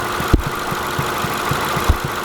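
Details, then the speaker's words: Engine idling while the body is pushed down, old Honda with new upper control arms and ball joints: two heavy dull thuds about 1.5 s apart, felt at the top of the strut, so the clunk is a worn strut, not the arms. "this is the top of the strut and you put your fingers there and Rocket you can feel it so I'm gonna switch angles because you can see it that's how I seen it this one this way so it's the strut so at the end of the day it's the shrut"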